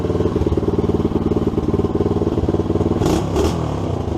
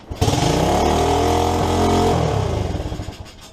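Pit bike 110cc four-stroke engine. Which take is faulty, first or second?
first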